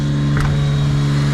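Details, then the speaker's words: Suzuki Jimny after a three-day cold start with an upgraded 370 CCA battery, new belt, air filter and oil; a loud, steady, fast, even hum with no misses, raised idle near 3000 rpm that is expected to drop within seconds. "so so i know that's pretty loud but i'm pretty sure the rpms are fixing itself right now all right so we're still at 3 000."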